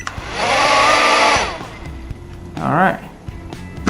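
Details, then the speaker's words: Zip Nano 2.0 Propel drone after replacing a failed motor with one from a donor drone: high, even whir as the motors spin up and hold speed, then another quick rising whirr. Normal motor spin-up. "okay that's good well all of them work that's important"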